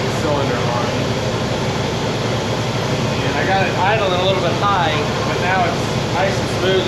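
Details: 1960 Pontiac Bonneville V8 with AFB carb, after dwell corrected: even unbroken rumble at a slightly raised idle, music over it, no misfire or hunting; now smooth, normal.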